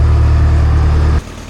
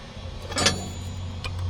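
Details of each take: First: Old Grove crane with a Detroit diesel, sitting 10+ years, restart with oil pressure showing: even, steady low idle drone with no knocks or misses, dropping away after about a second; runs smooth and healthy, normal idle. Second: Old Grove crane diesel, unused for over 10 years, cranking after fuel bleeding with fuel now dribbling out: low heavy drone with sharp clicks, but it never catches. Owner suspects a stuck fuel shutdown, since fuel reaches the rack.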